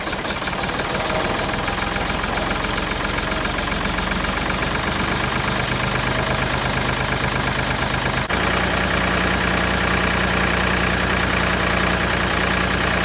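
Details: Ford 4000 tractor driving a vintage E.S Hindley cast PTO saw bench, unused about 20 years, first run on a found PTO shaft: steady engine with an even spinning drone from the saw, no knocks or grinding; runs smoothly.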